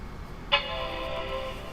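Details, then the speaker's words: 1986 Mac Plus booting after about ten years of storage: single clean bright chord rings and fades over quiet background; normal startup chime. "Oh, I love that sound."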